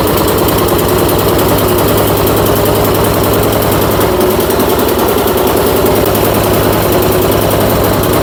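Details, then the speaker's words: Troy-Bilt Storm 2410 snowblower from the dump, carburetor rebuilt, fresh oil and gas: loud, uneven lumpy chuffing at fast idle, spitting oil; owner suspects gasoline in the crankcase washed the rings. "Tell that motor does not sound good in this. I can even kind of see it spitting oil out over there. Yeah, she doesn't sound real good, does it?"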